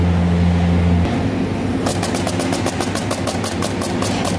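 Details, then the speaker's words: Air conditioner outdoor unit fan: sharp, even slaps about four times a second over a low hum. Adhesive tape stuck to the fan blade is hitting as it spins, giving a flutter noise, worse at high fan speed. "قد يكون شريط لاصق لاصق في المروحه يصدر صوت مثلا بهذا الشكل شريط لاصق مثل هذا يصدر صوت كما تلاحظون"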